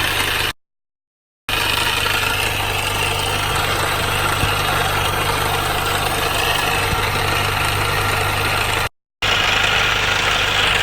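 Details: Mini R53 petrol engine at idle after replacing timing chain tensioner, guides and PCV valve: busy metallic rattle over a steady low hum; source still unknown, engine rattle at idle.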